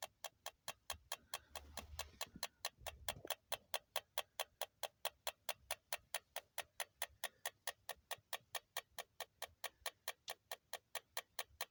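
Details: Toyota Alphard with the engine turned off: steady, sharp ticking at about four ticks a second, ending in a burst of handling noise; ticking noise after engine shutdown.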